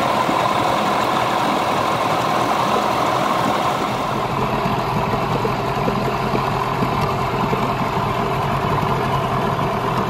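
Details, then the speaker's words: Yamaha 15hp two-stroke outboard with rebuilt power head, after ignition timing and carburettor tuning, idling with the cowl on: even, unbroken putter at constant pace without stumbles or surges; idles pretty smooth, normal idle. "That's not too shabby. Like, it's not the best, but with the cow, it's not too bad. That actually idles pretty smooth."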